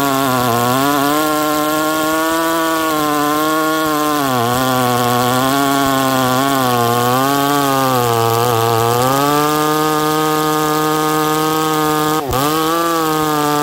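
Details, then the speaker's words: 268 chainsaw after five tanks of break-in fuel, with a modified exhaust port and a lighter aftermarket pipe. A strong two-stroke howl rises and falls smoothly with the throttle, burbling slightly rich but even: a healthy saw during break-in. "nice thing is you guys heard that saw run look how nice and rich it runs upon startup"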